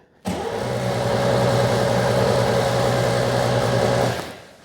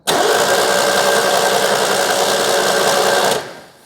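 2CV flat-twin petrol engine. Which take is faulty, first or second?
first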